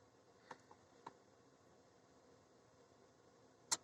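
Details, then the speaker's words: 2001 Ford F-350 7.3 Power Stroke diesel, federal emissions, engine cold, key cycled with test light on relay ground circuit: a few faint ticks then one sharp loud click as glow plug relay pulls in; relay and computer control working. "so that's it at this point you know that you relay is working a hundred percent as far as the as far as the circuit"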